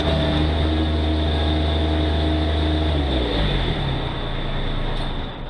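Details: Bobcat MT85 mini loader: steady high squeal over the low diesel drone, shifting as the engine drops under load on one particular turn; belt looks tight and sound, so the belt tensioner is suspected.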